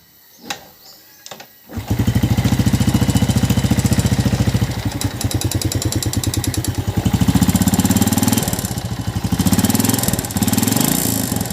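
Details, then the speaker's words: Yamaha New Jupiter Z (Vega ZR) motorcycle, before repair; starts after a couple of tries into a very harsh, rattly idle with fast clatter; teardown judged worn piston and found a slack cam chain, which was replaced. "Seperti yang udah kita dengarkan, bahwa suara mesin motor ini sangat kasar sekali."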